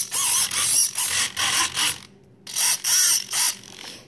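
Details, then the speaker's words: FMS Moa 1.5m RC glider after crash repair: short high buzzing servo whirs in quick bursts, crisp even starts and stops; stabilizer and all control surfaces working fine, servos sweeping normally. "and then the stabilizer of course is working and all the control surfaces are working just fine"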